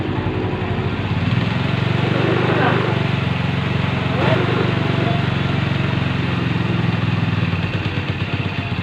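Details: Rusi 110 motorcycle previously hard starting with no idle, after oil change, tune-up and valve clearance adjustment: small single keeps a steady, even putter at idle without stumbling or dying; apparently now idles properly.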